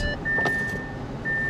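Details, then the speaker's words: Car not started in a long time, on a very hot day: repeated high chime over a rough, low idle, the coolant warning "turn off engine and check coolant level." Cause unknown. "Cool off. Turn off engine and check coolant level. That's not a good sign. That is not a good sign at all."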